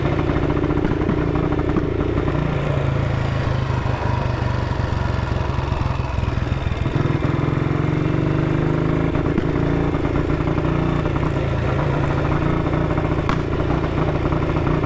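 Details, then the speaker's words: 1959 BSA motorcycle on a chilly 7°C ride, running lumpy with sharp backfire pops. The ignition key had fallen halfway out of the lock, and the owner suspects the ignition was cutting in and out. "Got a hell of a backfire. So, that was backfiring, and I thought, oh God, Dave, have you put diesel in it?"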